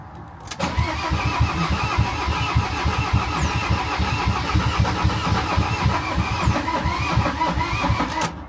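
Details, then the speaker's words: Van being primed after air appeared at the injectors, cranked with easy start spray: starter turns the engine at a steady, slightly uneven beat for about eight seconds but it never fires; cranks, no start, cause suspected, not confirmed. "we bit easy start so we're going to cheat we're going to try right here we go ignition on yeah start cranking over and go again here we go"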